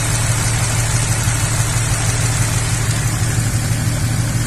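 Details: 2004 Chevrolet Epica at idle: a lumpy, uneven idle stumbling about twice a second from a misfire. A compression problem is noted and ignition coil waveforms are being tested; the cause is unconfirmed.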